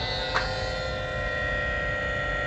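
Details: Creality CR-10 S5 3D printer after power supply swap, set to 110 V: small click at switch-on then even hum with fan whine from the power supply cooling fan; powers up normally.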